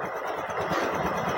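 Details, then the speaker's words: Honda Dio BS6 scooter idling around 1000–1061 rpm on scanner live data, intake air 29°C, timing advance 10%, TPS 9% open: quick, even pulsing with no misses or knocks; normal idle. "இதுல பார்த்தீங்கன்னா rpm 1000 rpm-ல ஓடிட்டு இருக்கு"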